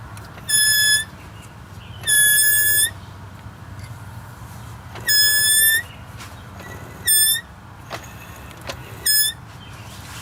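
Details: After a brake fluid leak was fixed and the brakes were bled, sharp high-pitched squeals come in short bursts over a quiet background. Wheel or brake squeal; a pad is suspected, but the source is not pinned down.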